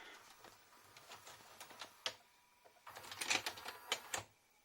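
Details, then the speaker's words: JVC HR-S9500MS S-VHS Dynamic Drum VCR, after the bent eject lever was bent back into shape: light mechanical clicks and a quick whirring run of the tape deck, then a clean eject clunk with no hesitation; eject now works properly. "Alors pour l'éjection, c'était le petit levier qui était tordu, vous allez voir après."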